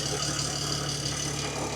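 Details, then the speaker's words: BMW E60 with N54 engine idling right after replacing the worn accessory belt and pulleys: steady, even idle with a smooth low hum and no squeal, chirp or rattle; everything spins as it should. "So far so good. I think everything's spinning as it should."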